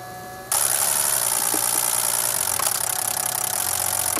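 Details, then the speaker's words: BMW X5 running on a JimStim-spoofed crankshaft signal, tach brought down from 3800 to 2000 then about 700 RPM: catches abruptly and settles into a steady, even idle without misses or knocks; normal idle. "that's about idle that's about 700 all right we're going to come in here and look at that we finally have success in North Mississippi and my ta's running right about 700"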